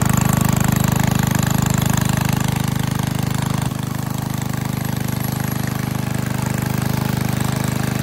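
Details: 1951 Briggs & Stratton 6B-SF 1.75 HP single-cylinder gasoline engine, cold start at about 30°F on choke, no primer, after relocating governor spring one hole: steady even firing pulses at relaxed speed; owner estimates at least 500 rpm drop, healthy.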